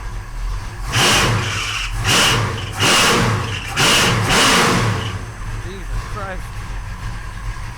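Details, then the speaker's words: 1968 Oldsmobile 442 V8, first start after sitting over 40 years, new starter fitted: loud revs in repeated bursts dropping to steady idle without misses; timing perfect, carburetor set close, running a little rich. Normal V8, slightly rich. "It's timed in perfect. The carburetor set pretty close. It's running a little fat, but not too awfully bad."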